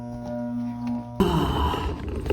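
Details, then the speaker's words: Heat pump outdoor unit with frozen AC, compressor running but fan not, motor powered with an 18 µF capacitor (20 µF called for): steady electrical hum with no fan spin-up; condenser fan motor failed. "So we got power to the motor now. Don't try this at home, guys. But you can hear it. This motor is toast."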